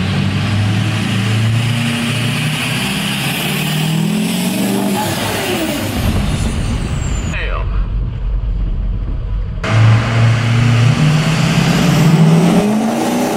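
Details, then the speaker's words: Ford 6.0L Powerstroke diesel after new Spelab intercooler pipes were installed to fix a boost leak: it pulls hard with a clean, rising drone through a shift and no hiss or whoosh from the boost side. Normal acceleration, boost leak gone. "T it sounds a lot better [Music] though [Music] wow there's no boost leak at all"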